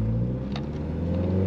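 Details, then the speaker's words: Honda Civic with G23 VTEC swap, break-in throttle body fitted: steady low idle rumble holds briefly then cuts out abruptly; dies at stops with no check-engine light, owner plans to recheck TPS calibration, cause unconfirmed. Engine stalling at idle. "See, it dies. I don't know why it's doing that. No CEL, nothing."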